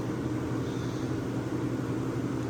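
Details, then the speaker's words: Vintage Westinghouse 10,000 BTU A/C unit; working well; smooth constant low hum with even airy rush, no rattles or squeals; smooth runner, normal running. "yeah it's a smooth runner uh i think for 20 uh 40 bucks it's not too bad i got a pretty good deal on it and it works pretty well"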